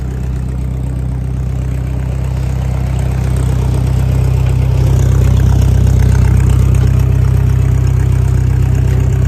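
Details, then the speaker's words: 1956 Massey Ferguson MH50 gas tractor with new battery, key switch and fresh fuel. Even, steady firing at about four beats a second, deep smooth tone, no misses or knocks: normal idle. "That's the little tractor just idling, folks."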